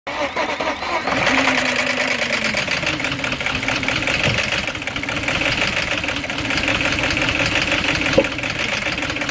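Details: 2006 Audi A6 4.2 V8 petrol, BAT engine code, chain-driven, 275,000 km: cold start with fast metallic ticking rattle over rough, stumbling idle; rattle and misfires, timing chain problem suspected, cause unconfirmed.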